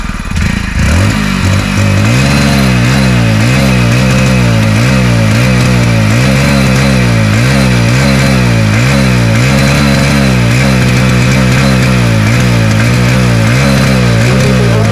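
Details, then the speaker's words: Motorcycle during off-roading: single-cylinder runs with an uneven, stumbling beat and dropped firing pulses under background music; owner suspects water got into the silencer, causing the misfire. "गाड़ी missing करने लग गई है क्योंकि पानी घुस गया अंदर साइलेंसर में। देखना भी, आवाज़ सुनना आप।"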